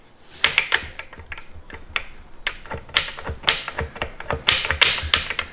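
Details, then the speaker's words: Mazda 121 five-speed manual gearbox, removed from the car and rocked by hand: bright, loose metallic clatter in uneven bursts from loose gears inside; the drained oil was sparkly, and worn or damaged gears are suspected. "That's the loose gears inside, which shouldn't be like that."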